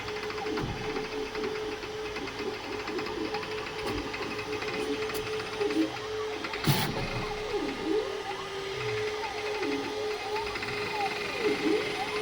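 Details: Creality K2 Plus 3D printer, about a week of use, firmware updated 2025-05-01, printing unusually slowly (owner unsure if print setting is why): steady mid tone with rising and falling motor chirps and light clicking; owner thinks it sounds different, cause unknown.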